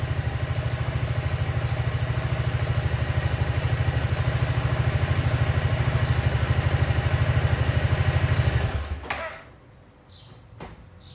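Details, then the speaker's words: Honda Forza 350 scooter at about 2,526 km, after replacing rear wheel bushings with aftermarket ones to prevent rear-wheel wobble and whistling: engine pulses steadily while the rear wheel spins freely and smoothly, no whistle or wobble noise. "ครับโอ้โหล้อหมุนแบบลื่นๆเลยนะลื่นปึ๊ดๆปึ๊ดเลยแฮ้"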